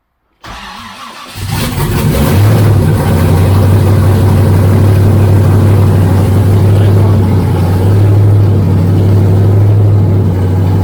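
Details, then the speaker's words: Freshly rebuilt engine (forged pistons and rods, 10.3:1 compression, Isky lifters) at first start; brief cranking, then catches into a loud steady even low rumble, no misses or knocks; normal running. "Sounds like it's running. It's pretty loud."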